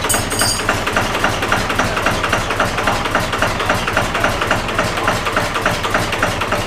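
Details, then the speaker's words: Cummins diesel-swapped Jeep YJ at its first start-up, just started with the pump primed: even, steady diesel clatter at about 220 beats a minute with no misses. It seemed a little choppy at first, then idles smoothly. "Nice. That is. Sounds good. Had me a little concerned at first. It was a little choppy sounding, but they sound so funky pulling intake air too."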